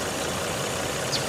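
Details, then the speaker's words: Car that sat 11 days and wouldn't start properly (owner suspects flooding; fuel pump judged working): short stretch of steady, even idle, no misses, surges or stumbles, nearly at operating temperature; normal idle. "Really, really weird. But everything is running just fine."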